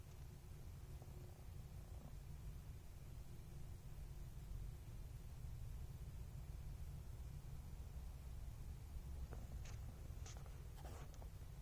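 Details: Dell Area-51M laptop plugged into its AC adapter: low steady electrical buzz with a faint coil-whine tone above it and a few light clicks near the end.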